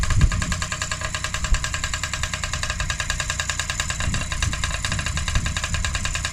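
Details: Freshly rebuilt Honda QR50 two-stroke started outdoors in the yard, oil topped up, little petrol in, new carb fitted: quick, buzzy putter with slightly uneven rhythm, no rattles or knocks; normal running.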